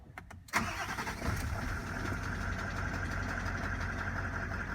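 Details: 2018 Nissan Titan XD 5.0 Cummins diesel, start after fuel filter change and priming: starter cranks a few beats, engine catches cleanly and settles into a steady, even idle; fuel system primed and healthy.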